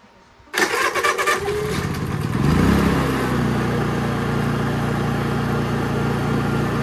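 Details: Honda EU3000is inverter generator on gasoline after fitting a Nashfuel propane venturi plate to the carburetor, gas line plugged: catches first pull, stumbles briefly on full choke, then runs smooth and even; normal start.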